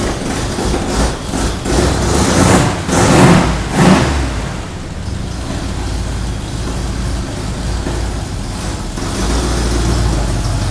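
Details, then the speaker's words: Ford Bronco V8 after motor rebuild, first run, recorded from across the shop; deep burble with a few throttle blips early, then steady even idle. Normal running; carb noted running a touch rich. "Sounds all right. Well, let's get this done."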